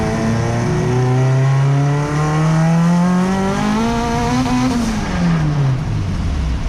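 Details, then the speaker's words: Turbo Honda Civic EG with fresh transmission, during a boosted pull: revs climb steadily then fall back abruptly partway through, the two-step launch limiter engaging because the speed sensor was unplugged; a separate loose or moving noise is also suspected. "so after checking out the logs we realized the speed sensor was unplugged so we were hitting two-step during the pool"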